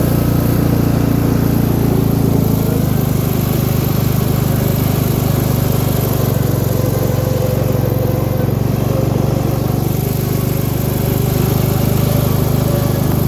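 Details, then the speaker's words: MTD lawn tractor with variable-speed drive, just reassembled, which smoked at first, then the smoke cleared: steady, fast, even drone with no dips or hunting, idling too high and needing the idle brought down. "it's definitely idling hi guy trying get that Idol down a bit and we'll go from there"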